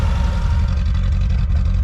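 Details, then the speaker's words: Suzuki Samurai 1.3/1.6 converted from carburetor to GotPropane kit, idle screw set after first start; steady, even low idle on propane with no misses, knocks or hunting, sounds fine. "so pretty neat i'm gonna leave it right about there that sounds fine to me"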